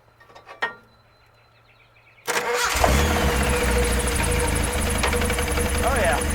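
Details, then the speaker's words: Rat rod engine after a tune-up, coil wire refitted: catches and runs with a thin, high chirping squeak pulsing steadily. Slack belt on the engine-driven air compressor slipping; the belt needs tightening. "Alright, now I got a belt squeaking. That's for my engine driven air compressor."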